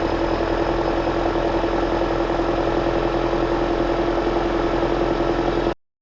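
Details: 2009 Toyota Corolla after alternator replacement and belt tensioning: steady even idle with a constant tone and no squeal or grinding; the engine sounds healthy.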